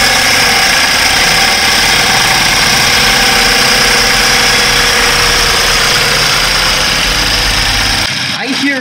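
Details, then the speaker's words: BMW F10 528i after a used replacement DME computer was installed with data transferred from the original: harsh, rattly diesel-like clatter over a rough idle with a sharp metallic edge; internal mechanical damage suspected, not confirmed, same sound with both computers. "sound same same as that sound same diesel-like sound engine that sounds absolutely horrible and i would better turn it off"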